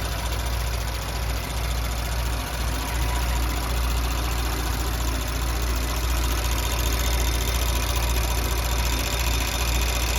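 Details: Audi B9 S4 with 48k miles at idle after the rocker arms were replaced. The idle is steady and even with a smooth low hum and no ticking or knocking, so the engine sounds healthy.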